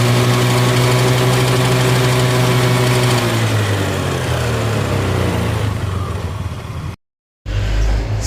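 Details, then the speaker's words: Honda Beat scooter CVT gearbox: rough droning engine with a coarse, gritty whine that fades as revs drop; gearbox ran dry of oil, wearing the transmission gears, possibly via a leaking wheel shaft seal seen by oil in the rear drum. "setelah kita bongkar bagian isi VT dan gearbox ini sangat fatal sekali kejadiannya dikarenakan kering oli yang mengakibatkan hausnya bagian gigi transmisi atau gearbox yang ada di bagian CVT ini"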